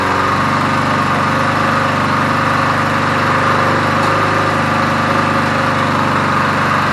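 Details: 1981 Briggs & Stratton vertical-shaft generator found discarded, running after starting: loud, steady drone with constant pitch and no misses or surging; running normally.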